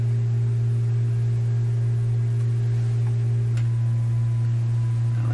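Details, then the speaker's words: RCA Victor A38 shortwave tube radio after replacing IF-stage paper/wax capacitors: a loud steady low mains hum in the output, with the signal generator's faint 1000 Hz tone appearing partway; hum grew louder for unknown reason. "okay why the hum got louder there i don't know who knows"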